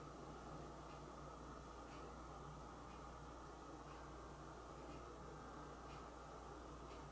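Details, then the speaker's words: Household room background: steady hiss, then one short high-pitched chirp near the end; intermittent low-battery-type chirp from an unknown device, not the smoke alarms, which were checked. "so there's a chirp in my house and one would assume I need to change the nine volt battery out of my my smoke alarm but if you assume that you're wrong"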